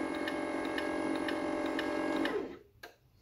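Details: Alfariss V2 gate motor running at 100% of maximum speed after its speed setting was restored: steady mid-pitched whir with light regular ticking about four per second, running evenly before stopping; normal motor running.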